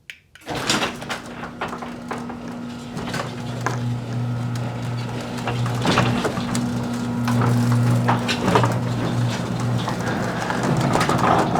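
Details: Garage door after installing nylon rollers and roller sleeves on all 10 rollers: a steady low motor hum runs evenly for the whole travel with no squeal or rattle on top; rattle greatly reduced, smooth, quiet-running door.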